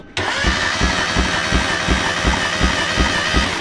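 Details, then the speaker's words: Supercharged Mazda Miata drift car, engine suddenly stopped running, valve cover removed: starter spins engine at an even beat of nearly three a second with no catch or fire; cam timing appears to have jumped. "We did that and it appears that it jumped timing. So now the vibes are low, but we have a better understanding of why."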